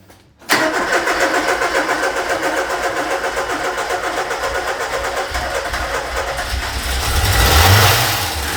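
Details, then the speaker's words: Ford Escort Cabrio XR3i, first run in 20 years after restoring fuel pressure with a relay bypass and fixing fuel leaks: steady brisk cranking for about five seconds, then it catches and runs on its own with rising revs and an even idle. "Wow. Hij loopt op zichzelf. Nah, te gek. Holy shit. And there we have it, it's alive. It's the first time it ran in 20 years."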